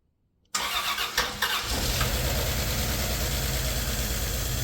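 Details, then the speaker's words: 1991 Dodge Grand Caravan 3.3 V6, first start in 20+ years, a part flew off causing a vacuum leak: it settles into an uneven, lumpy idle with dropped pulses, missing hard. The owner suspects the plug wire firing order, unconfirmed. "Kind of running like crap. It's missing pretty hard. Let's make sure I got the firing order right."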